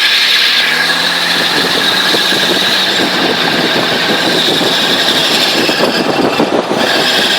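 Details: 2000 Jeep XJ with a fresh 4.5 lift kit, u-joints good, SYE not yet installed: a harsh, scratchy metal grinding under the vehicle that starts after about 30 minutes of driving, only in drive while moving.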